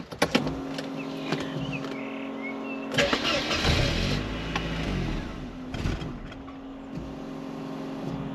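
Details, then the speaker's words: 1993 Mercedes-Benz 220CE (W124/C124), non-runner saved from scrap: after relay clicking, engine catches with a brief rough burst and dies within a second or two. "well that's not good is it it just kind of fired and then it turned itself off let's try again give it a bit of throttle"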